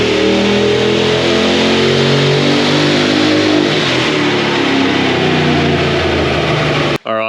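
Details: LS V8-swapped GQ Patrol with 6L80e transmission on dyno pulls, NGK Iridium plugs fitted: loud V8 with a rough, uneven note stumbling under load, breaking down, clearly heard from the exhaust; misfire suspected, cause not confirmed.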